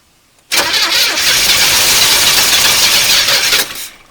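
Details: 1981 El Camino sat 21 years, carb primed with gas: about three seconds of harsh cranking that nearly fires but never runs.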